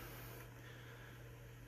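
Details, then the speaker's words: Bosch boiler that flashed an E9 code, circulator pump earlier grinding badly; now it runs as a quiet, steady low hum with no grinding or gurgle. Air was probably the cause. "right now it's nice and quiet like it should be um you know it's just a smooth sounding this can be so I think air was probably the issue"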